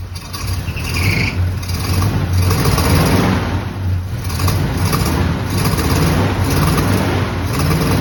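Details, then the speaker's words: Abandoned barn-find square-body Chevy truck at about zero degrees, after hours of work: uneven, surging idle, low rumble rising and sagging; runs rough, owner thinks he found the problem. "several hours later I finally got this truck to start it wouldn't run very well but I think I found the problem"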